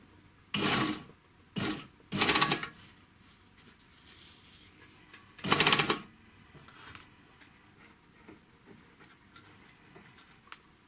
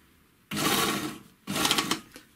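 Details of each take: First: Serviced 3-thread overlocker (GM C1D) sewing thin fabric and running without fabric: short even bursts of fast bright stitching, no knocking; healthy run, whereas dense denim brings knocking from a loose upper knife with play. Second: 3-thread overlocker after cleaning and lubrication, sewing thick denim: short bursts with sharp knocks as the knife reaches the dense fabric, caused by play in a loose upper knife; normal again off the thick material.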